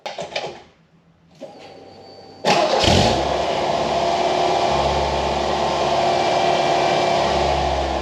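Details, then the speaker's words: 1989 Ford Mustang Foxbody four-cylinder after the injector rebuild and a new cheap exhaust with a home-welded muffler: it catches on the starter and settles to a steady, even idle with a deep, smooth note and no leaks; idle was still extremely high before the IAC reset. "so the exhaust is complete it doesn't leak and it sounds pretty good so I'll go ahead and drop it and do a reveal"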